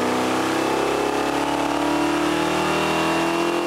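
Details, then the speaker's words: Bracket race engine from repurposed parts on the dyno at full load after swapping to lighter advance springs, during break-in: steady pull with flat, thin note; engine starving for fuel, lean mixture, jets and squirters to be increased. "you can tell by the sound this thing's starving for fuel we'll up the jets and the squirters"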